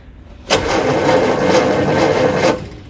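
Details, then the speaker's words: Barn-find Austin-Healey Sprite, previously seized engine, now spun by electric starter via solenoid: two seconds of steady, even cranking with no binding or stalling; engine turns over freely. "I think it's time to see if the electric starter can do a better job at turning the engine over than I can. I'll just pull on the starter solenoid here."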